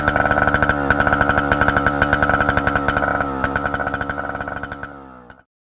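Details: A 1960s Solo 626 70cc two-stroke chainsaw, long unused and not yet serviced or carb-cleaned, holds a sharp buzz with an even firing beat for several seconds, then winds down cleanly. It is running healthy.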